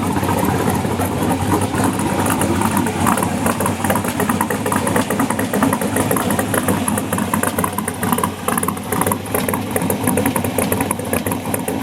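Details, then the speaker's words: LS7 V8 in an S10 truck idling through newly built 3-inch exhaust: louder, deep, hollow tone with slightly lumpy cam beat, even firing; normal healthy idle. "Alright, it's definitely louder. A little more of a deep tone to it. Kind of almost a hollow sound."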